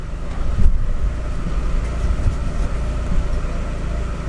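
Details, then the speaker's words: 2006 Chevy Aveo idling in drive after new plugs, wires and coil, vacuum-leak check, EGR cleaning and IAC valve cleaning/replacement for rough idle and P0300 code; steady low rumble, rpm not jumping, no misfire, hesitation or surging. "well seems like it's idling good our PM's aren't jumping you can't hear it misfiring at all it's put in and drive because that's where it got the worst putting break up with and drive nothing no hesitation no surgeon or anything"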